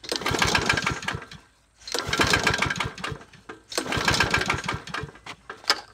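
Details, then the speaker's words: Cheap Troy-Bilt mower with hardly any oil, choked, and fitted with a new Briggs & Stratton air filter: repeated two-second cranking bursts with pauses, never catching; hard to start, cause not confirmed. "she's not a starter she not a starter how's the air filter look like"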